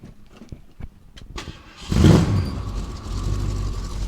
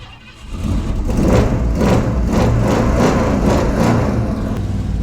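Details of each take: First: 1967 Ford Mustang V8, engine freshly reassembled with timing set and carburetor re-dialed, started to move into the garage: starter cranks briefly, engine catches with a loud burst and settles to a steady, even idle; normal start. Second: 1967 Ford Mustang V8, timing set and carburetor re-dialed, cold with no choke working: catches and runs with a deep, uneven pulsing rumble that labors at low speed; rough cold running.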